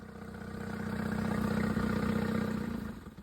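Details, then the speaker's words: Suzuki outboard on an O'Day sailboat, tested in forward via a Dometic remote control: steady even putter about four beats a second, swelling and fading smoothly; normal running in forward gear. "Okay, checking out forward. That works fine."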